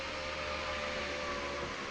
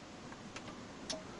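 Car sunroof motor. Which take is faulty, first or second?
second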